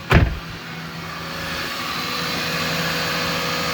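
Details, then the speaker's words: 1999 Lexus ES300 V6 idling in park after reassembly for burnt valve(s) on cylinder 6: smooth, even idle with a steady hum, just under 1,000 RPM, slightly high and may need to relearn; previous noise gone. "Sounds really good. The idle is a little high, but uh yeah, so far so good. Listen to that, man. She idles nice. No more noise, nothing."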